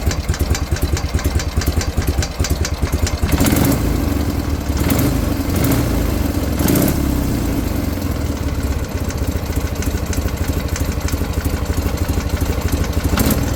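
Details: BMW R51/3 boxer twin: light, regular ticking about three per second over an uneven tickover; top-end tick, cause unknown; carburetor slider valves found way out of position and reset.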